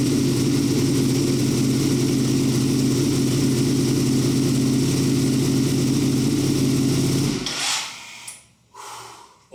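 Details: Ducati V2 Bayliss rebuilt from a wreck, first run after 3–4 months: steady even V-twin idle with a lumpy beat and no knocks or rattles until shut-off; smoke from the rear header, likely cleaning products.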